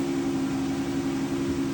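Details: 2012 Chrysler Town & Country, engine running, new Dorman driver front window regulator during the reset procedure: steady mid-pitched motor whine while the window is held up, even throughout with no grinding or clicking; works correctly.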